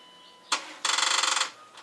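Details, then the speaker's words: Dodge Durango that had not been started in a couple of years, battery charged for a couple of minutes: one sharp click, then rapid chatter of about twenty clicks a second for half a second with no cranking; battery not charged enough. "happens not charged up enough we'll wait some more"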